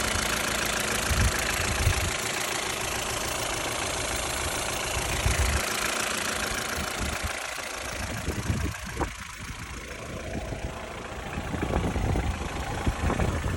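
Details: Ford Fiesta mk6 Duratec 1.6 at 443,242 km: idle with a loose, uneven knock under the running note, some wind and handling noise; engine knock at idle, worn bottom end possible but unconfirmed.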